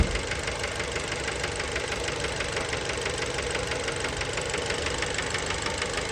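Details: Fiat Bravo 2 1.4 T-Jet 150 HP, 215,000 km, after recent maintenance, steady idle recorded close to the engine: sharp, even knock about three times a second under the engine noise; worn rod bearings, cause unknown, car scrapped.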